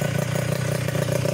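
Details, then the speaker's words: Yamaha Touch 125 motorcycle after engine rebuild, freshly started for the first time and still running in: quick even exhaust pulse at idle with steady low throb; earlier knocking and rumble fully gone. "Perbedaannya dari sebelumnya adalah suara dentingan dan gemuruh sudah hilang sepenuhnya. Yang terdengar sekarang hanyalah suara knalpot yang tajam."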